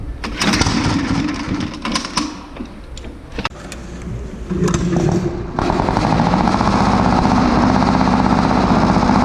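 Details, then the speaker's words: 1936 Caterpillar RD7 crawler, first start after rebuilding its seized, water-contaminated pony starting engine. Uneven cranking and sputters, then the engine catches and settles into a steady, even rapid beat; it starts and runs normally. "that's not so bad that's uh two starting images in a row where they fired right up for us"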